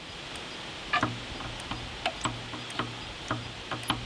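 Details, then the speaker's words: Wood-Mizer sawmill hydraulic lever micro switch (Monarch pump), lever previously not working, after adjustment, machine not running: small sharp tick each time a lever moves over a quiet hum; normal micro switch click. "When you pull a lever up or down, this switch should engage, and you should hear a teeny tiny click that comes out of that."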